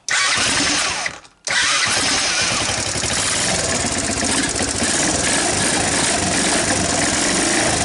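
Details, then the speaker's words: Sunl 110cc ATV, revived after being seized and abandoned, fuel system redone, brake engaged, neutral, no choke set: starter whirs, pause, then the single catches first try and settles into a steady, even idle. "should have set the choke anyway it seems to sit there and idle well"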